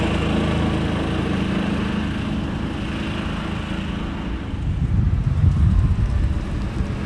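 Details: 2000 John Deere 4X2 Gator on a chilly day after ignition coil replacement, following months of not running: small engine putters steadily and picks up evenly as it pulls away under load, no stumbling or cutting out; normal running.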